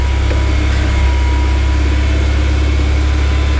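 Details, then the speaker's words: Honda S2000 with high idle and misfire after a track day, warming up after parts were removed and refitted. A steady fast idle hum stays high with no knocks or misses; it normally settles around 1000 rpm warm. Owner suspects the MAP sensor or tight valves. "Idol is coming down once it usually gets a temperature usually settles in just around a grand or a little bit below but it was sitting super high before"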